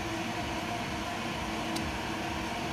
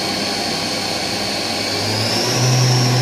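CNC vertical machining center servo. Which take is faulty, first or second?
first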